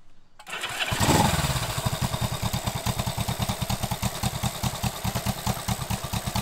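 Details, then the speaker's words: 1967 Honda CB77 Super Hawk twin after restoration and cylinder/sleeve work for a head gasket oil leak, started on a 98%-humid morning: catches after brief crank, steady slightly lumpy twin beat; sounds good but carbs need more tuning; normal running. "sounds pretty good needs quite a bit more tuning"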